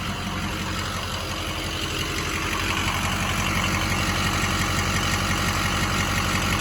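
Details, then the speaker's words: 2007 Ford F-250 with a fully built 6.0 Power Stroke diesel, tuner, 268,000 miles: even idle with a steady injector ticking clatter of roughly three beats a second. The injectors are firing cleanly and the engine sounds healthy. "hear the injectors keeping on yeah so that's the that's the injectors kicking"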